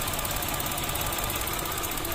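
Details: Mitsubishi Mirage three-cylinder at idle: uneven shaky stumbling beat with irregular popping and strong vibration; cylinder 1 misfire, injector, ignition coil or spark plug suspected, unconfirmed.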